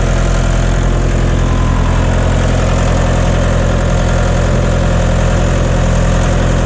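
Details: John Deere 2030 tractor diesel just after refitting overhauled, calibrated Stanadyne/Roosa Master injection pump, cold day, not warmed up: deep even idle with steady low thrum, no misses or knocks, burning clean, no blue smoke.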